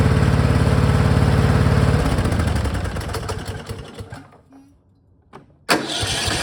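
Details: Cub Cadet mower with 424 hours and hard starting, after valves adjusted to three thou and gasket fitted: single-cylinder engine runs with a quick, even, steady beat and no tapping, then winds down; healthy.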